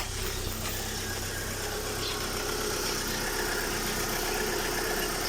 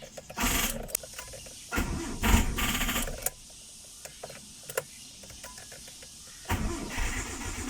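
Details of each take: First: Mitsubishi Lancer idling just after a timing belt replacement and crankshaft gear timing fix: steady, even idle with a smooth low pulse and no knocking or belt slap; owner hopes the belt wobble is gone; normal idle. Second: Mitsubishi Lancer starting for the first time after a timing belt replacement and crankshaft gear fix, with a weak 9.3 V battery. Sluggish, uneven cranking at about four turns a second before it catches; slow cranking suspected from the weak battery.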